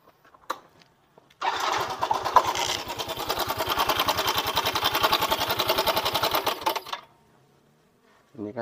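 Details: Yamaha Mio M3 125 automatic scooter with a rough-running complaint, CVT checked and found fine, idling: a fast, harsh metallic clatter over the firing beat, pointing to a slack cam chain and worn tensioner.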